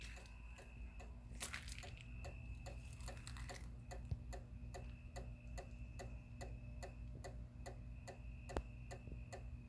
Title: Outdoor Motion Activated Porch Light doesn't work when activated: Makes a constant clicking sound.